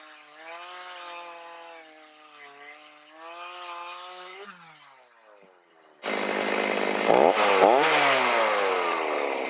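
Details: Stihl MS310 chainsaw after a no-start repair needing no parts, carb adjusted, oiling well: steady even two-stroke buzz, then loud bite into hard cedar without bogging; running properly, slow cutting likely from dull chain and rakers not taken down.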